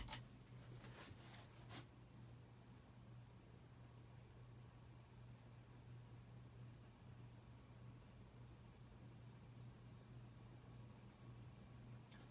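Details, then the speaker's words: 1991 Casablanca Delta II ceiling fan running: quiet hum with faint tick about once a second from the light bulb filament rattling with fan vibration. "here is the filament inside the light bulb you're just rattling all the fans running"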